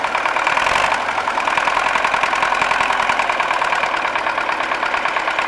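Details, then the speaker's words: MTZ-80 tractor just after fuel injection pump overhaul and fuel leak fix, idling with no load: sharp regular knocking over an uneven, misfiring idle, yet it runs evenly under load; cause not yet found. "стучит как то он и троит короче к задаешь доктора но под нагрузкой работает ровно"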